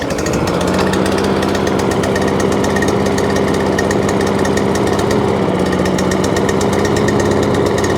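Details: Free scrap mower engine, still running rough after a new spark plug was fitted tightly: fast, harsh, uneven laboring chatter, perhaps rich. Owner suspects the carburetor linkage or choke is not opening and closing properly.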